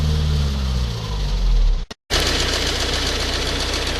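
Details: Ford Focus 1.8 TDCi 115 diesel idling after a brief cutout with a steady rapid tick-knock, shaky around 1000-1100 rpm, louder after about 10 minutes driving and rattlier when driving; diagnosed as faulty high pressure fuel pump.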